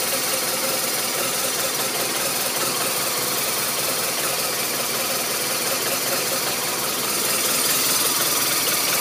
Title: RT1200RT Rough Idle